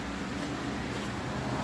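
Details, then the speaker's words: Mercury 9.8 hp model 110 outboard, first start after about 10 years on a shelf: steady even two-stroke buzz, no clanking, good fire — normal running. "didn't Clank like it wasn't supposed to has good fire"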